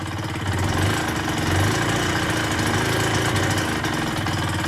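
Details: KSR Moto with AM6 50cc two-stroke, freshly rebuilt, seconds after first start, cold: steady, even idle held slightly high on choke with no knocking or rattles; it runs cleanly.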